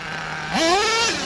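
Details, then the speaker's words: Redcat Earthquake 3.5 nitro RC truck on 30% nitro fuel; screams up, stalls flat briefly, then sags instead of pulling, despite wheelies and two-speed shifting; heavy smoke so owner says not lean; bog under load. "you saw that run and pulled wheelies the two speed transmission did shift it's still I don't know it's bogging down"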